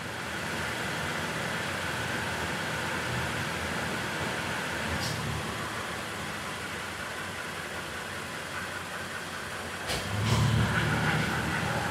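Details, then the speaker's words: 2016 Toyota Tacoma at idle with automatic AC on, compressor said to have failed: even hum with no grinding, squeal or knocking, compressor clicking on and off while cycling; compressor operating normally. "Like I said, it seems to be working fine. There's no noises coming from the compressor."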